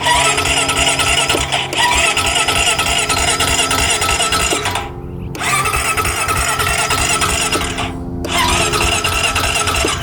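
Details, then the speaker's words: 2008 Honda Rancher 420 ATV with new battery, seller says nobody could fix it: starter spins briskly in long bursts but never fires; crank no start, no spark found. "all right so right now the seller said there's a brand new battery in it you turn it on and he said it'll just crank and crank and crank"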